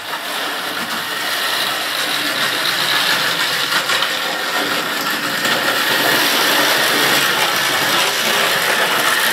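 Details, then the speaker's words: Deep burgundy/maroon LMS model railway locomotive, running fine once it gets going. Even, light whirring and gear chatter at steady speed, no stalls or surges: normal running. "and once she's got running like that she works pretty great"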